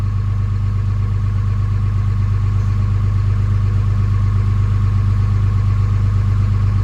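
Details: Early 2007 Ram 3500 5.9 Cummins diesel, G56, 326,000 miles, cold at 31°F, automatic factory high idle with exhaust brake on; steady, even clatter with deep drone, no misses or knocks, healthy.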